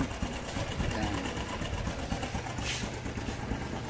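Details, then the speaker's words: Honda Wave 110R small single at low idle after a hard-starting fix in the wiring (cleaned, hose added), full-wave setup: fast steady putter with no stumble or surging, and the high-beam headlight doesn't flicker. Normal idle. "hindi na umaandap kahit mababa ang Menor hindi umaandap"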